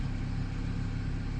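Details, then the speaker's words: 2003 Honda Accord 2.4 after cleaning the idle air control valve to fix a surging idle: a low steady rumble with an even beat and no speed rise and fall; normal idle. "anyways we got normal Idle No Problems reported by my wife she's running normal I'm happy"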